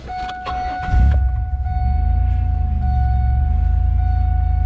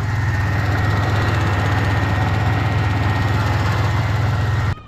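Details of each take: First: Pontiac Grand Prix after the power steering fluid was flushed and refilled with new fluid: at steady idle the pump runs much quieter, with only a faint even whine. Normal power steering pump. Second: Pontiac Grand Prix idling during restoration: light, quick irregular tapping on top over a steady idle; not the engine itself but a loose plastic piece under the engine cover, believed to be the evap purge solenoid, banging against the engine.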